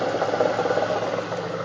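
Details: 1999 Chevrolet Camaro SS V8 at idle: an irregular ticking, uneven clatter over the steady rumble, an odd noise of unknown cause.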